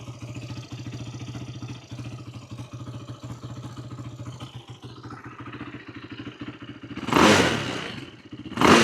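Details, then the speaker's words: 2008 Yamaha YFZ450 single-cylinder quad after carb repair (needle and float height cleaned up, no fuel leak, fuel screw out about three turns, on reserve): starts instantly, even steady thumping idle with no misses, then a couple of loud rushes; normal idle. "Um, kind of adjusted the fuel screw a little bit more. So, we're out about three turns. So, it runs pretty good right now."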